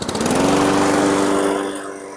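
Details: 2017 Husqvarna LC 221RH mower, Honda GCV160 160cc engine, test run after fixing a dead recoil: catches and runs at a steady, even pitch then eases off; sounds smooth and healthy.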